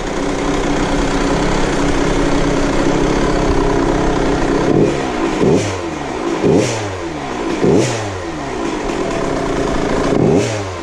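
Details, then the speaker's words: KTM 65 two-stroke motocross bike, after fix: plugged pilot jet cleaned and new power valve hose to expansion chamber fitted; idles then blips cleanly to high revs and drops back smoothly, no bogging; sounds a lot better, normal revving. "Yeah, pilot was plugged. Pilot was plugged. Yep, so go again. Sounds better. Sounds a lot better."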